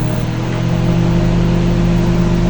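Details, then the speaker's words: Panasonic microwave with water inside, 10-second test after removing the burnt mica waveguide cover that caused popping: smooth constant low hum, no popping, crackling or arcing; operating normally. "Não estourou. Tá tudo normal. Funcionou legalzinho, bonitinho, não pipocou, não aconteceu nada."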